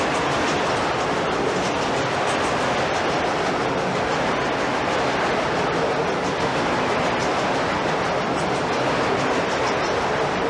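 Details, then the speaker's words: Historic South Pass City gold mill ball mill running: steady dense clatter and roar of roughly 2 to 3 inch steel balls, about 4000 pounds total, tumbling in a slowly turning drum; normal grinding. "okay now what we were just hearing was those ball bearings that are probably 3 inches around 2 inches around 2 and 1/2 a pretty good size too big to hold in the palm of your hand"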